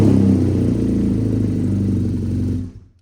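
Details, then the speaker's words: BMW R NineT Racer boxer twin, start after engine oil and filter change (oil at high mark), in neutral: fires and settles into even steady beat of about four pulses a second, then shuts off cleanly; healthy running. "Okay, so we're just going to fire it up because again we've got to get the oil lubricating."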